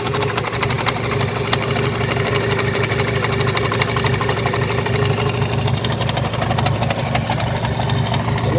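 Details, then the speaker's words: Fiat Punto with AMR500 supercharger, throttle body just moved to the supercharger's front side; idle uneven with a loose clatter of about three knocks a second, much worse than before; owner suspects a worn supercharger bearing; supercharger rattle at idle. "It works but there's something wrong with the supercharger That sound is very irritating, there was some noise before but now it's way worse Maybe there's worn bearing in supercharger"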